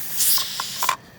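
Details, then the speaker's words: Pressure canner, six seasons old, on outside burner canning pinto beans, weight just put on as pressure builds: sharp steam hiss with quick rattling ticks from the jiggling weight, then quiet; normal pressure release. "And it will jiggle. You'll hear it jiggling, and that's okay. You want it to jiggle because it's gotta release a little bit of pressure, or it's gonna go crazy."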